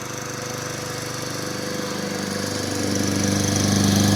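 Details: Toro mower, 6.5 hp Tecumseh engine, after carburetor cleaning following a no-start after winter storage, running on customer's fuel: even, regular single-cylinder putter growing louder as it settles, no misses or knocks; runs healthy.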